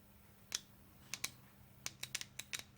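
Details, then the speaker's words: Honda Odyssey automatic transmission solenoid valve bench-tested on a power supply with the gearbox grounded; sharp, crisp clicks each time power is tapped on, about a dozen in three seconds, showing normal solenoid operation. "and all we're gonna do first of all is listen for a click so I'll turn the power supply on there we go"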